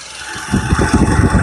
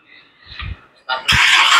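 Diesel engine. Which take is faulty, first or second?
second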